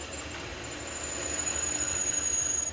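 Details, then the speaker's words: Drilling brass dry with a 6 mm drill bit on a model steam engine part: thin, steady high squeal over a hissy whir as small chips jam in the drill flutes. "I just have to make sure the chips always come out nicely."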